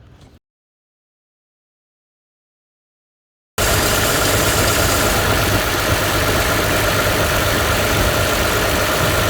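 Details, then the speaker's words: Car idling with a steady gritty squeak and grind from a serpentine belt changed about 5 months ago, likely degraded or dirtied by rust dust from a faulty alternator since replaced; pulley, belt or dressing still being checked. "And it's already starting to squeak, and the reason for it is, if you look at another video, I was changing the alternator on this car."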